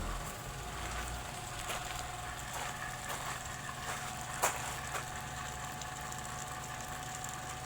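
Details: Sofia 15 kg spin dryer (centrífuga): steady motor hum with scattered clicks and one sharp knock after agitating clothes; motor noise, cause not yet confirmed.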